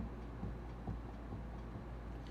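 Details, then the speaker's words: 2004 Honda S2000 raised on jack, neutral, parking brake off; rocking the rear left wheel gives dull low clunks from a couple millimeters of play; worn wheel bearing, which squeaked on deceleration. "feel probably a couple millimeters of forward-backward play between the top and the bottom of the wheel here which means the bearings have slop in them which means they're screwed up"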